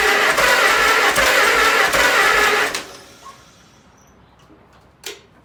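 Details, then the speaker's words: 1948 Farmall C tractor, long-stored, first start on fresh gas: rough, lumpy chuff about three times a second for a few seconds, then it dies; only one cylinder has compression and fires; owner suspects stuck valves. "So, I've got compression in one cylinder. That is probably the only cylinder that I hear firing. So, my guess is that these valves are probably stuck."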